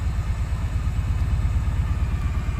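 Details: 2004 Daihatsu Sirion after EFI relay replaced for crank-no-start: low, uneven stumbling idle with dropped pulses, missing on one cylinder because an ignition coil connector was left unplugged after testing.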